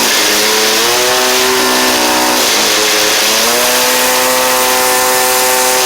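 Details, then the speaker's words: Cheap two-stroke string trimmer: a high, steady scream that holds clean at full throttle with only slight dips. Runs strong at the top end; only the trimmer head needs fixing. "Seems good running wise. I just need, just need to fix the head on it."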